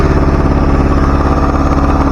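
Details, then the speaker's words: 1977 Chevy LUV engine idling steady but fast with a faint hiss after idle adjustment; a vacuum leak is suspected. Smoke is probably brake fluid burning off in the vacuum system; it revs much better. "turn that back a little bit sounds like we have a vacuum leak somewhere"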